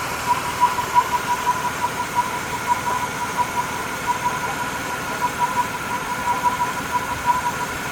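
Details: VY Commodore 3.8 V6 Ecotec idling: steady mid-pitched hum over a faint uneven patter; weird engine humming noise, source unclear.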